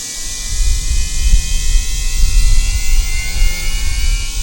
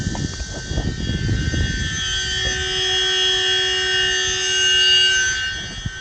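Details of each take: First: Losi Promoto MX RC motorcycle gyro flywheel switched on before riding on a hot day: high, steady whine climbing smoothly in pitch, loud but even with no rubbing; normal flywheel spin-up. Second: Losi Promoto MX RC motorcycle after a hard jump: high, steady whine for several seconds over faint hiss, loud and droning; wheel shakes when stood up, owner suspects something wrong with the spinning flywheel, cause unconfirmed.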